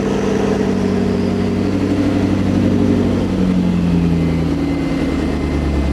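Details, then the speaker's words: McLaren V8 started after an oil flush and refill with 6 quarts, heavy smoke from the right side and 5 PSI oil pressure, below expected: deep, even, smooth idle with steady burble, no knocks or misses; engine sounds healthy. "Yeah, it's really heavy out of the right side, but the engine sounds great, as usual. I'm just gonna let it run for a little bit."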